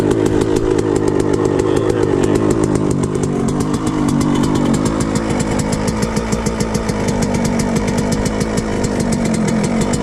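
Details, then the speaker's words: Suzuki RM125 two-stroke after engine rebuild, started first kick, choke off: fast crackly idle that starts high and slowly drops, slight wandering revs and popping, exhaust spitting old premix; engine running normally. "Yeah, you see it's eventually going down. But yeah, that's pretty much it."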